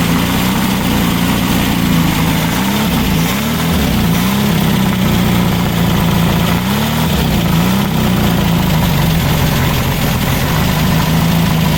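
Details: Freshly built VW Baja Bug flat-four on the stand, break-in oil with zinc additive, Super Dome distributor: steady low even idle, slightly wandering pitch, no knocks or misses; settling in smoothly.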